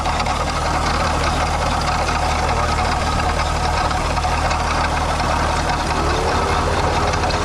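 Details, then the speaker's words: VW MK4 12v VR6 at idle before water pump replacement: constant gravelly rattle like marbles in a can over the engine; failed water pump bearing, gone after the new pump was fitted. "Before, I'll put a clip right here. If you didn't see the last video, it was literally marbles."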